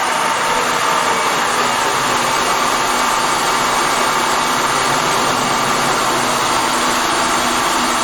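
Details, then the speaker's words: 2000 Acura 3.2 TL V6, cold start after valve clearance adjustment and valve cover gasket replacement: smooth, even idle with steady mid-pitched hum, no ticking or knocking; valvetrain sounds quiet and healthy. "sounds good i think we can call that job done"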